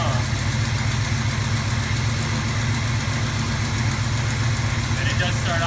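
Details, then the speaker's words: 1978 Dodge Ramcharger V8, 59K original miles, cold start idles high until run 5-10 seconds and gas pressed to kick down, no smoke: steady slightly raised idle, even low rumble, no misses, knocks or ticks; healthy fast idle. "does start off whenever you start it up, it idles high, and once you let it run for 5 or 10 seconds, hit the gas again, and that kick down just comes right down."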